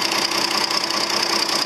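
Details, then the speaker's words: 5020 tractor diesel started right up after a leaking differential-lock hydraulic hose was tightened; steady, even idle with a light, regular clatter and no stumbling or misses, running healthy. "I've tightened it up so go ahead fire it up wow really started up nice"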